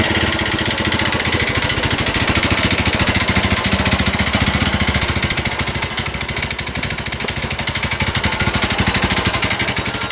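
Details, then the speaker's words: Honda New Megapro carbureted single-cylinder, bored up to 61 mm with a KLX 61 piston, after overheating: rough idle with a harsh, uneven clattering friction rattle on every beat. The piston and bore are damaged; a BRT 200cc kit is awaited. "Suaranya sangat tidak asik sekali ya, ini sangat menggeletek ya. Suara yang sangat mengiris hati ya."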